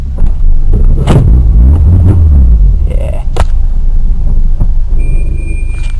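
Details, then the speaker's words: 1.1 Peugeot 106 after head gasket replacement, misfire blamed on water on a plug, after revving to about 5,000 rpm: clean rev falling back to a steady, even idle with no stumbling; smooth running, earlier lumpy idle gone. "well uh as you can hear it's running much smoother now really really really really lumpy a second ago I took it up to about 5 grand and it's happy again"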